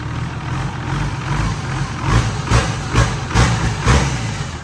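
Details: Hino J08C turbo diesel, 200-plus hp, taken from a rice combine harvester: settles into a deep, even idle with a few stronger rev pulses near the end; runs smooth and healthy.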